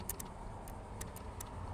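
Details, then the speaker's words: 2014 Ford Explorer that won't go to sleep: faint, irregular clicks as the run/start relay in the powertrain control module is jumped, heard over street traffic. The relay switches normally and powers the fuses only while jumped. "Now, if I install this and jump this relay, it's really hard, but you can hear it."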